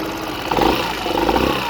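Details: Yamaha XMAX 125 scooter idling with a cold engine: an uneven, rising and falling rasp over a steady hum; suspect noise, cause not pinned down.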